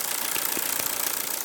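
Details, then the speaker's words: Ford Focus misfiring: idle with a regular uneven pulse and occasional stumble; the second spark plug lead arcs at its top instead of firing, indicating a faulty, probably broken lead. "This second lead, in fact, as I put it up, look, it's firing from there instead of from the anchor here. So what I'm going to do, I'm going to hang it over here. Can you tell that, in fact, this is not firing here?"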